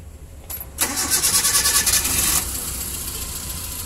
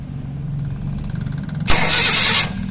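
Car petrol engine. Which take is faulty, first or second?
second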